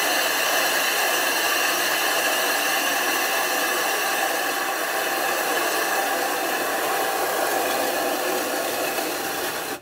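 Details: 25-inch F3 telescope mirror blank, back being ground flat after thinning from 2 in, on a grinding machine running continuously with silicon carbide abrasive and water, swarf building up. A steady coarse hissing grind with a faint rhythmic rattle: normal mirror grinding howl.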